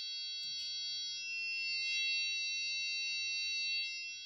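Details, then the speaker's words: 1988 or 1989 Corvette C4 (owner unsure), fuel injected, sat over winter: in-tank fuel pump powered directly through its harness gives a thin, steady high-pitched whine with no wavering or rattle, pumping varnished fuel out; pump is good, wiring fault suspected. "It's doing something. Let's see if it's pumping. Looks like it was. There's fuel going up my non-fuel rated line into that gas can."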